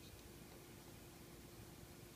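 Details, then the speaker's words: Tivo Series 3 HD (TCD652160) with replacement Apevia CF7025S 70 mm cooling fan: very soft, even airy hiss, no ticking, rattle or hum, less airflow than Evercool; normal quiet fan running. "oh yeah it's quiet as a mouse uh less air boy that's a big difference yeah i can't even hear that"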